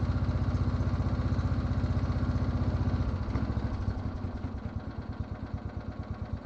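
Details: Roughly 40-year-old Lawn Flite MTD ride-on mower after a fix for a key-turn click/no-crank solenoid problem, started with a bit of throttle and choke in neutral: the single-cylinder engine thumps steadily with no misses and eases to a smooth idle; normal running.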